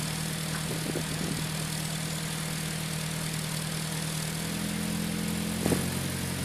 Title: Strange noise from pumaspeed muffler